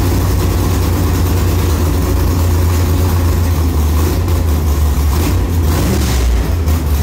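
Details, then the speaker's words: 1957 "Bad Penny" converted back to 4-speed manual with 5.57 gears and a new combo, idle shift test: deep lumpy V8 idle lifting slightly in speed as each gear goes in, no grind or clunk; shifts are healthy and work well. "yeah that's awesome I hear it move like I can hear the I can hear the engine speed come up as it goes boom boom boom like it you can't even hear the shift with you the engine speed your foot's the same but you can hear it speed up a little bit a little bit a little bit it works well"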